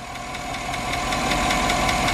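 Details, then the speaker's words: 2008 Chevrolet Tahoe 5.3 V8, 2WD, with active fuel management: sharp, even tick about five times a second at idle from a collapsed lifter; the tick goes away when revved and returns after restart once oil pressure bleeds down. "Unfortunately, this motor has the active fuel management and it does have a collapsed lifter."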